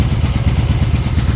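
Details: 1996 Honda Magna 750, barn-stored about 4 years, just revived, cold, carb leaking fuel, after throttle stop screw adjustment: loud lumpy idle with uneven pulses and popping; one unknown cylinder misfiring, owner thinks it just needs running.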